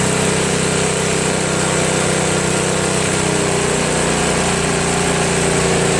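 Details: Craftsman snowblower, after a replacement gasket was fitted (not leaking) and the bottom carburetor screw was adjusted: the small single-cylinder engine holds a steady, even buzz at constant speed with no hunting or surging; it runs cleanly.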